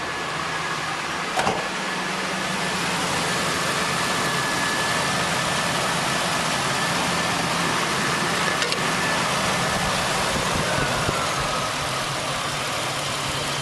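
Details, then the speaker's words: 2001 Mazda B4000 (Ford Ranger) after idler pulley replacement: smooth, even idle with a low hum and no squeal, chirp or rattle from the belt. No check engine light; normal idle. "Everything seems to be running true and straight and quiet. So we'll call that one a success."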